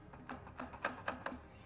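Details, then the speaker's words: Jaguar F-Type supercharged engine, pulley removed, shaft rocked by hand giving sharp uneven metallic taps: play from worn supercharger coupler knocking inside; supercharger to be removed and coupler replaced. "So, in this case, I'm grabbing the little shaft, and there's that play, that kind of slap. You can hear it knocking inside the supercharger."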